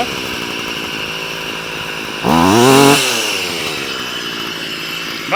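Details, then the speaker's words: Stihl FS38 two-stroke strimmer after carb tuning (mixture richened, idle and slow screws reset after prior tampering): buzzy idle, quick clean blip rising and falling, back to steady idle; responsive, head near enough not spinning. "don't sound half bad very [Applause] responsive but head is near enough not touching not spinning"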